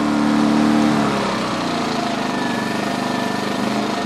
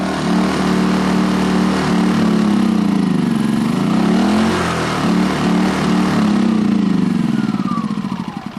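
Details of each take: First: 2010 Champion 2000W generator after cleaning the carburetor, gummed up from 3-4 years of little use: in eco mode, choke in, it runs smooth and even with no surging, where before it surged unless choked. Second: 2010 Champion 2000W generator, carburetor gummed up after 3-4 years little use; surges, hunts unevenly, then winds down and dies as choke is pushed in; runs only with choke wide open; suspected air-fuel mixture problem from clogged carb jets.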